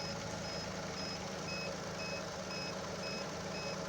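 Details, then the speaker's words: Chevrolet Onix LT 1.2 three-cylinder, battery tester during cranking on a fairly discharged battery: quick high beeps, about two a second, over low engine hum; tester flags excessive cranking voltage drop, reading 9.37 V against 9.6 V limit. "Tenemos el equipo que está pitando, o sea, que la caída de tensión fue alta, aunque la batería está bastante descargada."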